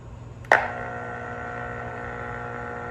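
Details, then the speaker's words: Lionel 6200 turbine (6-8404) tender's Sound of Steam unit: a sharp click, then steady electrical buzz with ringing overtones when grounded through the engine drawbar; the short causes interference and the whistle goes haywire. The tender is fine grounded alone. "So as soon as it's grounded, it starts making some interference noises and the whistle starts going crazy."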